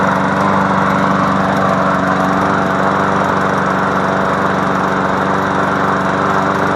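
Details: MTD Yard Machine push mower after fixing no compression by adjusting the valves: steady, even single-cylinder buzz at constant speed, no misses, knocks or surging; runs healthy.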